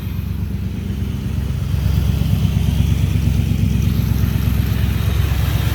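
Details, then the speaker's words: 1980 Chevrolet C30 dually, cold start after new fuel pump and fuel filter, revving: deep loud raw V8 rumble swelling with revs; effectively straight-piped because mufflers are rusted and blown out. "right, so that's straight piped right now. The mufflers are rusted and blown out."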